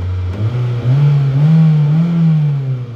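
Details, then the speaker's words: Hyundai with rebuilt engine, fixed and on its first drive after sitting: smooth, steady engine drone rising and falling with throttle, no knocks, ticks or rattles. Healthy running. "run pretty good. No weird sounds or anything like that."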